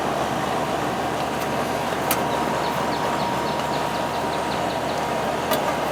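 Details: R22 AC condenser fan after replacing a bad capacitor that caused surging and likely stopped it starting: even steady whoosh with constant low hum, no surge; running good.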